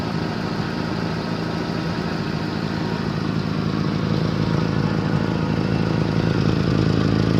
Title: 1989 Honda CIVIC / Exhaust leakage from center pipe